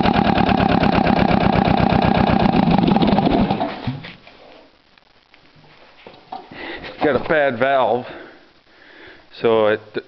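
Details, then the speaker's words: Case 360 diesel trencher, auction buy: rough, uneven chugging for about four seconds, then it dies; a bad valve means it only starts on one cylinder. A drill with a socket helps the starter spin it, and the head needs a valve job. "it only wants to start on one cylinder."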